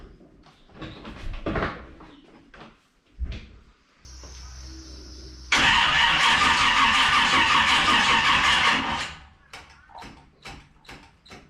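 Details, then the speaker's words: 1946 Chevy pickup with a mystery 350 small block on jumper leads: starter churns hard about three seconds with no firing. The battery is flat and a lead was left unplugged from the distributor cap, which may be why there is no spark. "I haven't plugged this into the the distribut a cap so that may have some bearing on why I don't have any spark or it won't fire aside from the flat battery"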